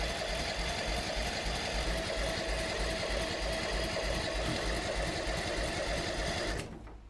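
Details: Mini NASCAR go-kart bought used, new spark plugs, cleaned gas tank: even cranking about three beats a second for seven seconds without catching; cranks but will not start, later found flooded with water in fuel.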